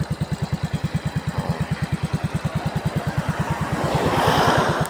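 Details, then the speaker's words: Yamaha Mio i 125 S scooter after overhaul replacing both crankshaft bearings (one had failed): steady even low putter, about three pulses a second, no bottom-end knock or rumble; now quiet, starts on one click. "So okay na yung kanyang tunog, tahimik na, sarap sa tenga pakinggan."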